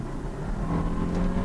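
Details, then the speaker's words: 2011 Volvo C70 road test for misfire: full throttle uphill, engine pulls hard with smooth rising note, no stumble, shifts perfectly fine, smooth. "And it shifts perfectly fine. And this car is actually fairly fast. Yeah, it's perfectly smooth."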